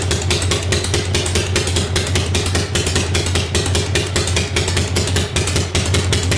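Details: 1965 Harley-Davidson Panhead after new cam and cam bearing, pushrods, hydraulic lifters, carburetor work, ignition timing set and new coil: loping V-twin idle beating steadily, even and clean with no knock.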